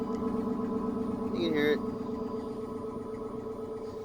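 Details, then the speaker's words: 2005 Dodge Magnum R/T 5.7 Hemi V8, rebuilt, cold start after about a week sitting at 15 degrees, stock exhaust: fired right up to a steady, even low burble with no misses or knocks; normal idle. "and fired right up get out see how it sounds there it is it's got completely stock exhaust so this is not impressive at all"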